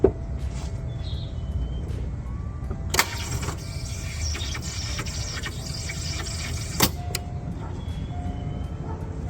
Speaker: Customer states, "Why does my car sound like a demon when I try to start it?"